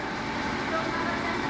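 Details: Fiat Mobi 1.0 at idle with the check-engine light on and a catalyst-efficiency code stored: a steady, loud, raspy exhaust drone with no knocks; the catalytic converter had been removed, and the second oxygen sensor reads out of range.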